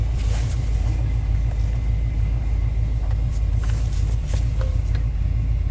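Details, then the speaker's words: 1991 Chevy K1500 V8 with aftermarket headers at cold start, open loop: loping, uneven rumble with an irregular firing beat; running rough and down on power. Owner wonders if something is off a tooth; cause not found. "I mean, even right now in open loop, it's kind of running rough. I really think they should have more power and run smoother than this."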